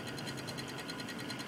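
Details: Cooler Master Real Power Pro 550W power supply: quiet fast even mechanical ticking/clicking over faint hum, cause unknown.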